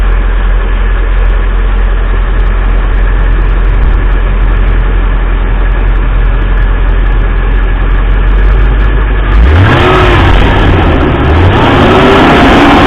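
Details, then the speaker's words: 2005 Mercedes G500 (W463) mechanical engine fan: a heavy steady roar at idle swells sharply when revved and barely fades afterwards, slowing only very slowly. The fan clutch is seized and the fan roars almost all the time. "Now it does slow down eventually, but really slowly."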